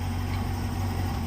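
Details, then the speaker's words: 1970s vehicle, on base map, back on the road: low, even idle with steady beat and raspy edge, no misses or knocks; idles very well. "the first thing I noticed with this thing is how well it idles. It's like a modern car, basically, um but with those old school raspy noises."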